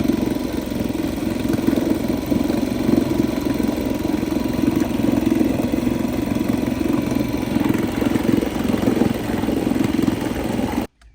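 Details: 1990s Honda 2 hp four-stroke outboard found at a landfill, run in a water bucket on light throttle with choke out: steady, fairly fast putter for about eleven seconds then cuts off; running cleanly, normal.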